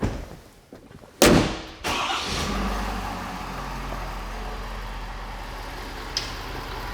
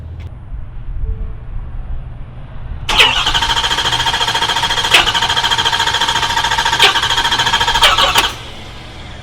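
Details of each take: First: 2021 Ford F250 6.7 diesel after replacing a CP4 fuel pump deliberately damaged with abrasive: one crank burst, catches at once, steady even diesel idle without stumbling or knocks; normal start and idle. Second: 2021 Ford F250 6.7 diesel driven about 500 miles on a CP4 pump deliberately contaminated with abrasive; it first acted seized, then freed up, with no fuel in the valley. Starter churns steadily for about five seconds but it never fires: failed high-pressure pump.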